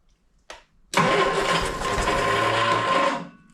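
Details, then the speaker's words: 1971 Triumph Spitfire MK III four-cylinder, starting after 14 years sitting, using starting spray: quick crank catches straight away into a smooth, fairly quiet idle with no knock, only a little clicketty-clack rattle; normal idle. "I can hear a little rattle. That's it. That's all there is. Clicketity clack."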